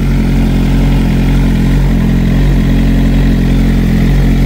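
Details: 2007 Suzuki GSX-R 600 K7 after full service with new water pump, warming at about 72°: smooth even idle with no knocks, misses or squeals, no leaks or manifold smoke; healthy engine.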